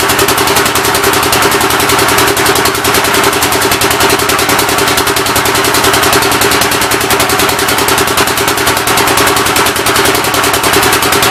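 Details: Rebuilt engine on its first start attempt, with temporary ignition and fuel fed by hand: harsh, slightly uneven chuffing at about 207 beats a minute and rough running. The intake valve seems to be leaking; the plan is to pull the head and lap the valves.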